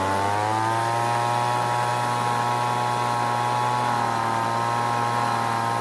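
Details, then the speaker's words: Weed Eater two-stroke leaf blower after long storage, L and H screws opened: steady buzz at one speed with slight sag and recovery, throttle barely responding; high-speed circuit lean, fixed by richening the H screw past max speed. "this time it stayed running but the throttle wasn't responding much which meant it needed more fuel from the h screw"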